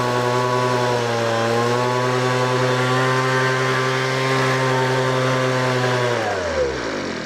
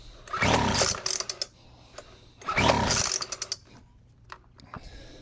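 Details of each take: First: Weed Eater FB25 25cc two-stroke leaf blower that started after pulls on full choke, then switched to half choke; steady high buzzing note holding even speed before winding down smoothly, running normally. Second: Weed Eater FB25 25cc two-stroke blower, choked and given fuel: two rasping recoil pulls with short coughs, then silence, and it never fires. No-start caused by a broken fuel line.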